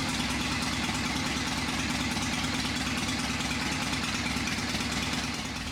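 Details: Old V-twin motorcycle engine first start after sitting unrun for a few years, carburetor just tightened: fires right up, steady lumpy idle with deep low beat, no knocks or misses, a little oil smoke; sounds good, normal idle.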